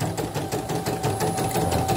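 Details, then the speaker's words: CNY E900 embroidery machine after service for not stitching and rough noise, rotary hook damaged by needle strikes: rapid, even stitching clatter at constant pace with no skips or thread breaks; normal stitching run. "Kita lancar. Dari tadi sih nggak ada yang putus, kalau sekarang putus ya takdir. Udah lancar nih."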